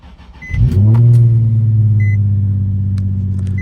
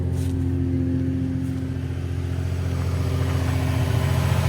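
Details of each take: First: Nissan 350Z, six-speed, 176,000 miles: cold start with a quick crank that catches at once and flares, then settles into a smooth, steady, even idle with chime beeps behind; starts right up, normal healthy cold start. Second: Nissan 350Z, six-speed, 176,000 miles, idling: the engine runs smooth, with a loud, steady low exhaust hum that swells as revs creep up; exhaust drone, described as the terrible noise these cars make from the exhaust.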